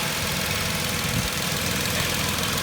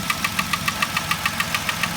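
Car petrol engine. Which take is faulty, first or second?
second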